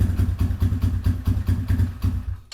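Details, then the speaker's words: Small carbureted quad engine, cold, at night, barely runs on choke, needs throttle feathering; uneven lumpy pulses before dying; clogged pilot jet, later found full of green corrosion from dried fuel, pulling fuel from another circuit. "So it barely wants to even run on choke. I got to feather the throttle. So classic sign of a clogged pilot jet because it wants to pull fuel from another circuit."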